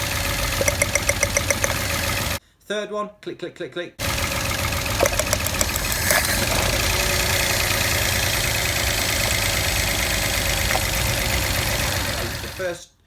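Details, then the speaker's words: 1.0-litre three-cylinder Peugeot 107 / Citroen C1 / Toyota Aygo with misfire and lack of power, idling with coils lifted: spark clicks on cylinders two and three, none on cylinder one; fault at number one coil. "is not sparking second one is sparking third one is sparking the fault is with number one cylinder"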